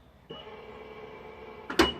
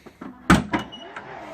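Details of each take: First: Tesla Model 3 with Hansshow power trunk, closing after roughly three-second delay: steady mid-pitched motor hum for over a second then a latch clunk; actuator working normally. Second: Tesla Model 3 Hansshow power trunk with close position set lower: brief motor whir then a sharp pop as the lid pulls down hard; latch appears forced, closing too tightly.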